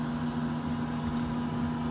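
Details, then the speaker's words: Camper van diesel parking heater (antifreeze circuit, floor heating and hot-air fan) running on high: steady fan hum with low burner rumble, no surging or misfires; normal, owner says quiet on low once warmed after 20–30 minutes. "지금 이제 세게 틀어놨는데 이제 따뜻해지면 약하게 이제 틀어놓고 그러면 조용합니다. 그러면 요 이제 히터가 돌다 합니다."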